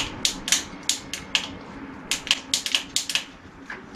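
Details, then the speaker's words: Bicycle Shimano shift/brake combination lever, defective: quick dry clicks in irregular bursts with no chain movement; the shifter ratchets freely without engaging a gear, the shifting has failed. "funktioniert das alles gut aber die schaltung hat versagt"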